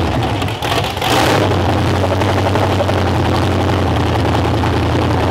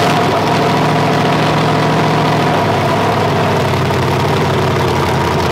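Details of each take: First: Demolition derby V8 on first start after draining watery oil, with a broken motor mount: loud, rough running with a steady tick; the tick quiets as revs rise, owner suspects the flex plate hitting. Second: 500 hp demolition-derby build, first start after sitting all winter with water-contaminated oil drained and fresh oil added: strong, even, deep-rumbling idle with clean throttle blips, running well; compared to an LS.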